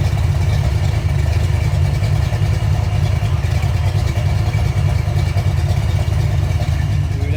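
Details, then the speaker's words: Engine just started: deep, lumpy low rumble with an uneven loping beat and no ticking or knocking. Big-cam idle with lifters pumped up and quiet, judged healthy. "that's going to sound real good like I love it all right s it off that sounds good right there"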